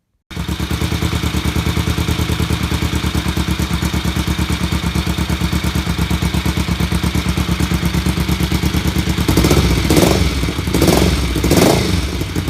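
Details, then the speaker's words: BSA Fury SS (E35SS) twin during post-build shakedown after carb and pilot screw tuning; a steady, even tick-over at about 1000 rpm with a few short blips and no misses, a healthy idle though more tuning is planned. "okay so after um a bit more running and uh tuning then as you heard we've got it um beginning to uh to tick over um that was idling at about a thousand revs not too bad"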